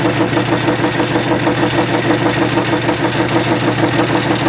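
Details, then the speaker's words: Lathe facing 2-5/8 in cast iron stock for a steam engine piston valve: a regular pulsing rattle about twice a second over the lathe drone. The chatter comes from the rough surface where the steady rest bears. "so I kind of faced it, or kind of turned it a little bit, but it was chattering a little bit, so it's going to be a little bit noisy when I turn it on."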